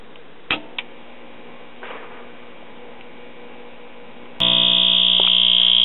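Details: Early-1950s Crosley tube radio, after the open 470 kΩ resistor in the first audio tube's (12AV6) plate circuit was bridged: faint clicks, then loud steady buzzy hum with no station audio; filter capacitors failed, later replaced.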